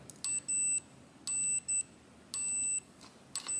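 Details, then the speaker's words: 1968 Harley-Davidson generator Shovelhead ignition points checked with a meter to earth. Short beeps about once a second cut off cleanly when the points open, so the points ground normally. "So just for fucking, to be double sure, earth again, put this dog on here, open the points, see it shuts it up."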